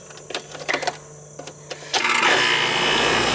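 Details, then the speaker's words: Home AC condenser for a first floor not cooling, compressor previously failed to start and fan slow to turn: quiet clicks, then hum and hiss rise and settle as the compressor starts and runs normally. "yeah hear it it wasn't doing that it was just the compressor didn't start last time okay the fan like took a while to turn before it started but the compressor didn't start"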